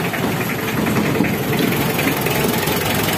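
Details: Mitsubishi L300 diesel with stinging white smoke: warm idle lumpy and uneven, with irregular knocks through a steady clatter; suspected injectors dribbling instead of spraying cleanly.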